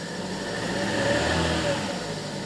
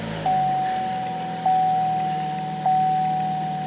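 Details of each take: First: 2015 Chevy Cruze 1.8 L petrol, started in a garage: lumpy, uneven idle from a cylinder 1 misfire (P0301) with a flashing warning light; swapping spark plugs did nothing, so the ignition coil pack is blamed. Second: 2015 Chevy Cruze 1.8 petrol after fixing a misfire (P0301) by securing the coil pack connector with a cable tie. It idles smoothly and evenly with no stumble; the chime is the seatbelt warning.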